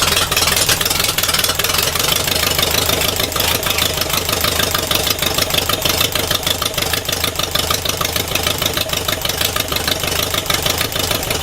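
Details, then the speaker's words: Air-cooled engine first run after refitting the first carburetor and resealing the intake gaskets, four bar oil pressure: loud, characterful exhaust at a steady idle, valve rockers almost silent, throttle response fine, roars when throttled. "Throttle reaction is fine. Valve rockers are almost silent, but the exhaust is quite loud though it has its own character. But once you push the throttle, it roars quite loud."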